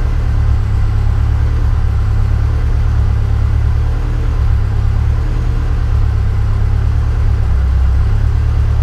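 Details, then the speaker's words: Yeti sled on a new Link G4+ Thunder ECU, first cold start after about six months with pre-oiled engine: deep low rumble at idle surging and sagging every second or two; idle hunting, cold-start settings need adjustment. "maybe have it running hunting around the idol they're a bit"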